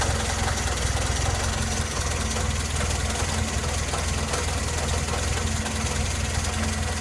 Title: Engine knock